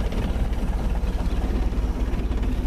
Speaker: just to show you once she's warmed up she idles quite smoothly I'll turn off this time no throttle the engine's now warmed up it's only been running for about 30 seconds but it's enough you can hear her running